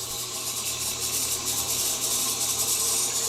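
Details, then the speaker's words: Under-floor radiant heating loop being purged with the circulator pump on high speed, one loop open at a time, about half a gallon a minute flow; constant hissy rush with irregular gurgle about three times a second as air clears. "I'm just going to keep purging it until I get all the air out of that loop, and then I'll close that one and open another one."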